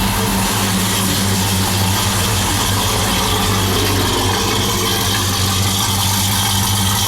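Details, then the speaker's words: 1972 Oldsmobile Cutlass convertible after V8 engine swap, heard from exhaust with new mufflers: deep, steady burble idling about 850 rpm, oil pressure 50 psi, no misses or knocks; normal idle. "sounds pretty good oil pressure center on 50 pounds an idol"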